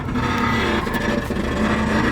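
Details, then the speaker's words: Engine running steadily with a faint metallic scraping over it; the alternator is rubbing on the head of a bolt on a homemade traction bar, to be ground down further. "that noise is actually the alternator hitting one of the bolts off the whatchamacallit, traction bar that I made. It's just hitting the head on it, just rubbing it."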